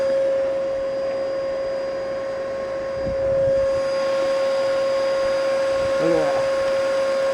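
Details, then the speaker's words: Bissell Powerforce bagless vacuum, first power-up, brush bar not turning; constant high strained motor whine that never changes, no suction at all. All filters clogged. "Let's see if there's suction. Nothing. I don't think it'll even pick up snow."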